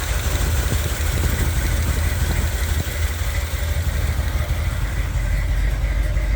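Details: 1978 Corvette V8 idling with open-window valve covers on both sides: lumpy idle with uneven top-end ticking about three per second; one cam lobe almost fully worn down, another on passenger side also worn, camshaft damage confirmed, camshaft to be removed.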